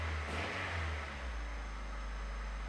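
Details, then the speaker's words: 1989 Honda Prelude Si on jack stands after suspension, timing belt, coolant line and clutch work, revving smoothly then settling into a steady even hum in second gear with no knocks or grinding. "car sounds so good I can you tell I'm excited this is this is really exciting"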